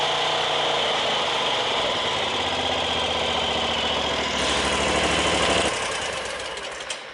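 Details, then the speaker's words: Ferris zero-turn mower after blade drive belt replacement: steady engine drone with blades spinning, even, no slapping or squeal, easing off at end; cuts and sounds good with slightly less vibration. "We got the belt on there, and she cuts good, sounds good. It actually has a little bit of less vibration because"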